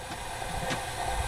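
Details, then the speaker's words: Ford 6.0 Powerstroke crank no start (P2291), engine off, air check at about 120 psi in the high-pressure oil system: steady rushing hiss with louder puffs from the rear; suspected standpipe O-ring leak, not yet confirmed. "the leak is definitely coming from back in this area"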